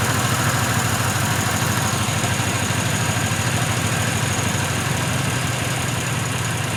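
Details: Pontiac Grand Prix V6 after engine and transmission swap, warm with heater blowing hot: lumpy misfiring idle shaking the car, throttle body clicking, not throttle position; PCV valve found unplugged, reconnected, then idles better near 850.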